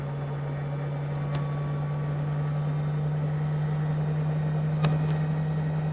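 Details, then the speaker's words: Maytag Neptune washing machine after a control-board relay re-solder and a new door lock wax motor; before, it would not reach high spin. Smooth, steady hum through the fast spin, no knocking or grinding; high-speed spin restored. "you can hear the jet engine taking off I think this one's going to be faster than the last one"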